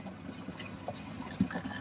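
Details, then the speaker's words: Aquarium tank plumbing after a leaking joint was resealed with underwater putty, flow back at about 1100–1150 L/h: soft, irregular gurgling and splashing from the overflow drain after the pressure change; its gate valve needs retuning. "and don't mind that noise that will just be um some overflow that needs to be now tuned up in the drain as a result of the pressure change"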